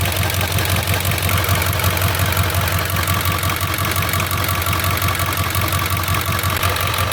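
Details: 7.3 diesel with brand new injectors, #5 fails the contribution test; slight uneven lope at idle, about two stumbles a second under the clatter, from the weak cylinder 5 injector.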